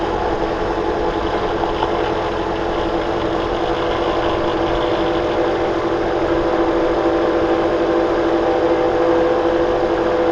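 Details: 2009 Toyota Corolla at idle: steady whirring hum with a faint constant whine. Rust flakes show between the alternator pulley and body and the belt is slightly overtight; the owner believes the alternator bearing is failing. Suspected worn alternator bearing.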